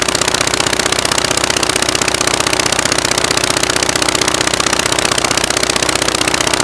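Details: Rebuilt Praga B2 aero engine, last run 1 September 1939, first run on homemade test rig bolted to a Vauxhall, spark advanced: rapid, even clattering beat about four pulses a second, running on one magneto; the other needs rewinding.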